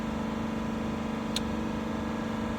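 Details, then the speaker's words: 2021 Dodge Durango R/T 5.7L HEMI V8 after new spark plugs, accelerator just released: quiet, smooth idle with steady low hum, no stumbles or uneven pulses; normal idle, no misfire or abnormal noises. "In this case, the engine sounds good. I just released uh released uh the accelerator. Still no uh no abnormal noises."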